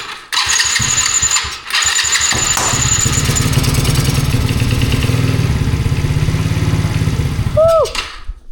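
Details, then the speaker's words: Old roadside-found four-wheeler after sitting, tires flat, started with starter fluid after earlier backfires: it cranks, catches and revs unevenly about six seconds, then cuts out. It has spark; the owner suspects fuel isn't getting to it. "It sounded good for a minute, huh? I'm not sure we're getting gas to it. But it does sound good when it's running, huh?"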